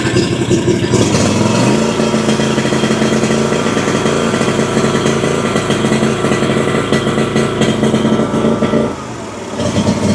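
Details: Exmark Vantage S stand-on mower, Kawasaki FS541V V-twin, 1181 hours, just refilled with oil (dipstick was dry), runs rough with uneven popping misfire and low power under blade load; suspected over-fueling or sticking/leaking valve, unconfirmed.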